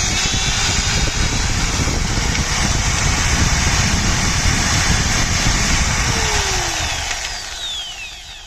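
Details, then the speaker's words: 4-inch angle grinder after regreasing the gearbox: high, smooth, even whine with no gritty growl, clean spin-down on trigger release; the noise was a grease problem, gone once fresh grease mixed in. "ये देखा दोस्तों, जब Greece बिल्कुल इसमें mix हो गई है तो अभी आवाज़ बिल्कुल ख़त्म हो गई है। तो इस ग्राइंडर का यही मसला था।"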